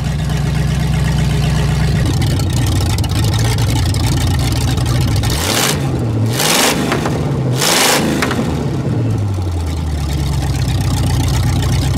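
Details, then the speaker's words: Pontiac Bonneville 455 V8 with exhaust removed, first start in perhaps a month and a half or more: loud deep raw rumble, throttle blips swing pitch up and down evenly, no knocks or misses; running with open exhaust. "see what it sounds like without that crappy exhaust probably been a couple months since I started it last maybe a month and a"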